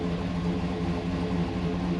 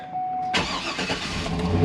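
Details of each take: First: 2010 GMC Yukon 6.2 V8 with DOD/AFM delete, new oil pump and Stage 2 L92 cam, just after a cold start: deep, loud, lumpy idle with no lifter noise. Owner suspects the cam and idle setup; drives well but is rough at idle. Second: 2010 GMC Yukon 6.2L after AFM/DOD delete, new oil pump and Stage 2 L92 cam with new tune, just started: strong, slightly lumpy idle with no lifter noise, about 50 psi oil pressure (owner says still low); rough idle partly the cam.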